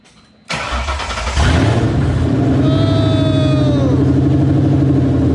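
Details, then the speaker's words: 2002 Ford Mustang GT with Coyote V8 swap, first start after fuel pump wiring troubleshooting; cranks briefly, catches, flares and settles into smooth, even V8 idle burble, running healthy with cluster and gauges working. "but as you can see it's alive it fires the clusters work and all the gauges are work"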